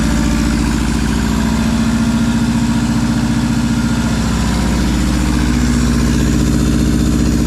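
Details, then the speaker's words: Subaru WRX first start after nearly 4 years sitting, new clutch and turbo inlet, no exhaust, intercooler or radiator: loud raw open-pipe burble at a steady raised idle with an even beat and no knocks, sounding healthy. "She sounds healthy too. Besides it being no exhaust, no intercooler, no radiator, and a high idle, she's ready to go."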